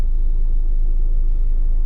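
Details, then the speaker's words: 1998 Mazda Protege 1.5L that sat about 15 years, with idle surge, high idle and a stuck MAF voltage, now fully warm after half an hour. A deep, even idle, about 50 rpm too high but stable, with no surging or hunting. "we're about 50 rpms to hot but you can see how stable the RPM is now"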